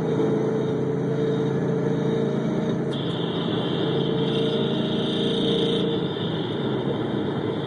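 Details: GT 5.0 (2011) at idle, recorded amplified through microphones on each bank: a sharp, even tick-knock about four times a second; poster suspects piston slap, and his own car makes the same noise when cold.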